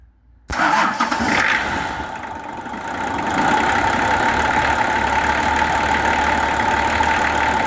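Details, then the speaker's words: Nissan LD28 diesel in a 40 series Land Cruiser, not run for years, started after a glow: short crank, catches and settles into a steady, even idle with no knocks or misfires; sounds like a good engine. "Not only is that running now, but it sounds good. It sounds like a good engine."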